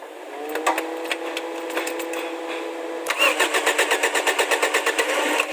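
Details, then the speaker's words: Toyota Corolla at operating temperature, after valve clearance adjustment for a diesel-like loud clicking and timing set to standard 10 degrees; the camshaft is still worn. It cranks, catches and idles evenly with only light soft ticking; normal start and idle. "Wala nang ingay. Yan, umandar na siya. Nasa operating temperature na siya. Wala nang maingay. Hindi na masyadong maingay. Yung makina."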